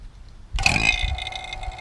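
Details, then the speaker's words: 2000 Ford Mustang GT A/C recharge, vacuum pump on the yellow hose just switched on with gauges closed: sudden wet burping gurgle over a steady hum; normal vacuum pump gurgle. "You'll hear it make that sound. It's like some weird burping, gurgling sound."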